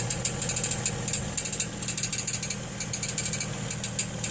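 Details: 2006 Chevrolet Trailblazer, noise appears as soon as it is dropped into gear to take off: light, quick, uneven metallic tings over a quiet engine, heard from underneath with inspection panels off; starter pinion striking the flywheel ring, leaving shiny marks above the teeth.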